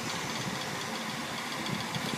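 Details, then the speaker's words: Electric fan with worn cheap motor bearings, oiling and greasing didn't help: dense uneven rattle and buzz over the running hum, bearings shot. "that's where all the rallying is coming from those messed up China bearings that's where all the rattling is coming from"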